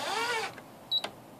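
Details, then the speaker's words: Royal Scriptor electronic typewriter (2020 model), switched off and unplugged. Pushing the carrier by hand gives a rising whir, then a short high beep; back-voltage generated through the stepper motor apparently discharges through the beeper. "so it's it's getting some type of electrical charge through the stepping motor and discharging through the beeper"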